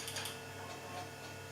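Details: Macintosh Portable after a recap, running on a revived battery: its Conner hard drive spins up with a steady low spindle hum and a few light, irregular seek ticks, operating normally.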